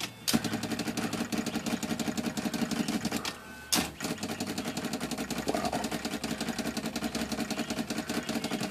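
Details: Olympia SM-3 manual typewriter, after adjusting the space bar linkage that had been stalling: a quick, even clatter of carriage steps, several per second, with no hang-ups or double jumps. The escapement now releases properly.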